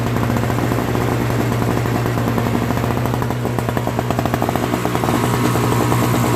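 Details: Old Craftsman 5 hp single-stage snowblower, Tecumseh engine, just after carburetor cleaning and replacement of a leaking, fuel-filled float: small single-cylinder engine at a steady fast beat with a fairly even exhaust pulse; now running properly.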